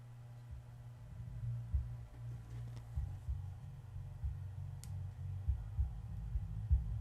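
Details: Miller and Kreisel MX-125 subwoofer amplifier, customer complaint of hum/buzz and distorted sound, hum persists after cleaning pots: low steady hum with uneven, breaking-up bass thumps.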